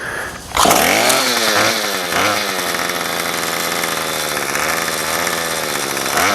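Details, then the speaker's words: Remington pole saw two-stroke after a carb rebuild and fuel-line replacement, no head fitted and so no load: it starts, blips, then holds a steady high buzz with even firing; it may be slightly rich; running normally. "it's hard to adjust the carburetor because there's no load on it I think it might be just a little bit on the rich side"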